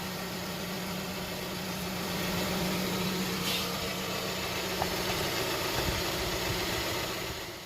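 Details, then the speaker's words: Hyundai Tucson at steady idle with AC on loading the belt, after replacing the noisy tensioner/idler pulley bearing; now much quieter, no squeal or chirp; belt drive normal. "all right guys so that's perfect it's a lot quieter now no noise you can tell"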